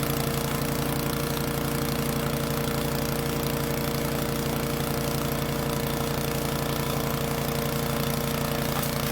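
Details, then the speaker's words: Troy-Bilt chipper shredder model 24A-414B711, repaired with a new carburetor fuel line fitting and fresh oil, shredding hard dried sumac branches; engine holds a steady, even beat under load without stumbling. Normal operation under load. "give up on that heavy branch that the sumachs get pretty hard when they dry out and those beating my hands up pretty good"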